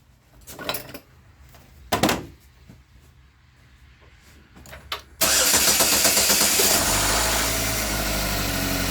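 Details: Engine with previous head gasket and burnt-valve repair, back for P0014 exhaust cam code, first start after fitting a new AutoZone Dorman part and tensioner: starter cranks briefly, catches, settles to steady, even idle with no rattle; running normally.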